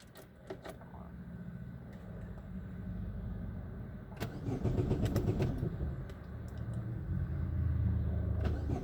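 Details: 2010 Chevrolet Aveo start after a transmission mount repair, with the motor support no longer touching and far less engine rock; neutral, brakes on. A short crank of about four seconds, then a low, even idle with no knocks or clunks.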